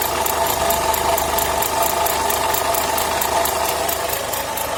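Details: Renault Logan idling after alternator repair: fast, light ticking at roughly three to four per second over a steady idle; an extraneous noise, cause not yet pinned down.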